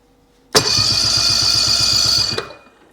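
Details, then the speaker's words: 2010 Ski-Doo REV XP 800R carbureted two-stroke, one cylinder already found scored, compression test on PTO side at full throttle: starter spins evenly at about four beats a second with no firing; that cylinder reads no compression, engine coming out. "nothing not a nothing well I guess we're pulling the engine"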